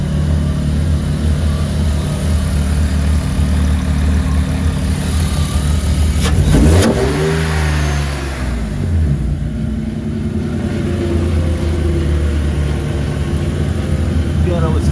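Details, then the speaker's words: E36 drift car on a temporary exhaust with fresh radiator and fan, first start after fuel lines filled: loud open exhaust holds a steady idle, one quick rev, drops back to even idle; sounds healthy, though it later stalled repeatedly from no fuel. "Motor sounds fucking fine. Yeah. Motor's chilling. Right to idle and fucking go! Sick!"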